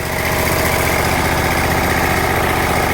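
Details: Exmark zero-turn mower with Kawasaki FH580V 19 HP V-twin, after replacing a missing carburetor Welch plug that caused surging and rough idle, at light throttle with a steady, even beat and no surging; normal smooth idle.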